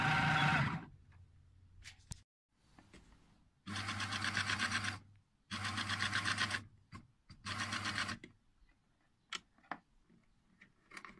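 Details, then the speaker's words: Raymarine ST1000/ST2000 tillerpilot drive on outward thrust (inward thrust quiet): short whirring, rattling bursts as the unplastic-disc-held bearing and shafts float 2–4 mm end to end, misaligning the belt; fix is a made-up aluminium washer. "that's what we got so on the on the inward trust is no problems on the outward trust we got this noise okay"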